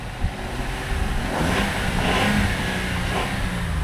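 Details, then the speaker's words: 2019 Jeep Wrangler Unlimited Rubicon, 54,000 miles, no stored codes; engine climbs smoothly through a rev and settles, getting a bit louder up top but no knock or rattle; normal revving. "well if you really get it up there she can get a little noisy but n that's good"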